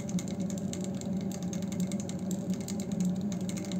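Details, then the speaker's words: Demirdöküm combi boiler running during hot water or heating: quick light ticking over steady pump hum from the filter location; debris from radiator or pipe system or incoming water in the filter, needs cleaning. "Çok Hani yüksek bir ses değil ama net duyulabilecek de bir Tıkırtı bu tıkırt sebebi Dostlar kombinizin yani Petek tesisatınızın veya boru tesisatınızın içine giden herhangi bir parçacık veya işte dış sudan gelen pislik diyebiliriz"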